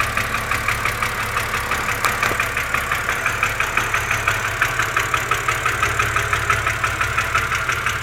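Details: BMW Z4 2.5si engine at cold idle with a fast, even ticking (about three per second) over a steady idle, following engine speed; likely valvetrain noise, cause unconfirmed.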